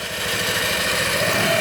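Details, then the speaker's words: Yamaha NMAX scooter brought in for a strange engine noise (not the CVT; exhaust and catalytic converter replaced without fixing it), running during a full service: steady, even, round idle with no knocking or ticking, normal. "então levamos o corpo de injeção e ligou a moto o barulhinho redondo né sem programa"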